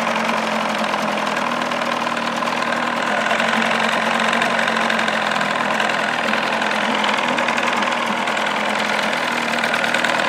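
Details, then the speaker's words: 1979 Evinrude 35hp two-stroke outboard, lower unit in water, warmed up, idling with cover off before sound-deadening test: loud, steady, high-pitched buzz, even firing, no knocks or misses; meter max 96.4 dB, minimum 83.6 dB; normal idle. "all right our max like it says is 96.4 our minimum was 83.6"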